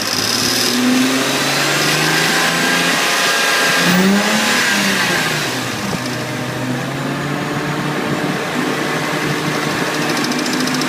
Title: Revving with ticking sound